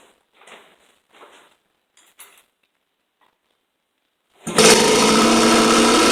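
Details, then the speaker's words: 1973 Kawasaki S2A 350cc two-stroke triple after carburettor leak work: starts on one kick and settles into a steady, crackly idle with no knocks or misses; runs mostly okay. "so well that certainly worked better than i was expecting one kick fired up and it seems to run mostly okay not terrible"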